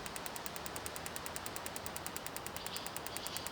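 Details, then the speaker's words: Turbocharged BMW M50/M52 on Megasquirt with AEM coils, troubleshooting misfires: engine off, coil pairs tested in turn in injector test mode with a set dwell time. Crisp, even ticking, about two and a half per second. "No niin, toivottavasti se näkyy siellä kun ne napsuttaa ja noita vaihtaa sitten nuo."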